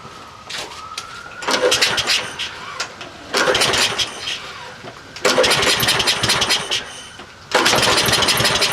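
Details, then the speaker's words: Troy-Bilt 12AV566N011 push mower, automatic choke, no primer: four rough pull-start bursts about two seconds apart, each sputtering briefly and dying; dirty carburetor with sticking float needle valve flooding. "okay diagnosis carburetors filthy the bowl since the the needle valve was hanging up the float too much gas is flowing the problem we have is a dirty carb"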